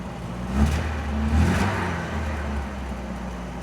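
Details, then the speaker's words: MGB running on choke with low compression on two cylinders, heard through the battery compartment: two throttle blips bring breathy chuffing over the low drone; exhaust leak. "Exhaust blowing. I can hear it through the battery compartment."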